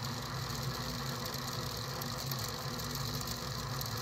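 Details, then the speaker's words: DIY budget 6DOF motion simulator at first live power-up of the motors with hall sensors: constant, jittery buzzing hum with no settling as the motors try to hold position; servo hunting from noisy hall angle sensor data. "okay the noise you can hear are the mods just trying to keep in place and um whole thing is not working properly yet I got very noisy um data from the uh angle sensors from pole sensors"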